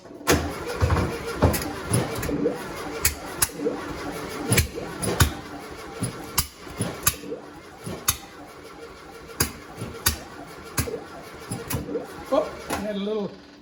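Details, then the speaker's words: 1972 VW Westfalia, first start in 13 years, with a new 34 Solex carb kit and redone fuel lines: uneven cranking with sharp pops and brief catches but no run. Flame backfires out the right carburetor and tailpipe, so spark is present. "got a flame come back out of the right carburetor okay yeah and it's steamed then there's smoke steam something rolling out"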